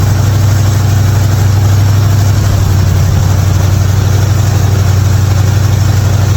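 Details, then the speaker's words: '55 Chevy hotrod V8, long-sitting car, after a spark plug change for popping: deep, even rumble with steady low beat, no misses or knocks, idling healthy. "Other than that, she fired up good. She's running good."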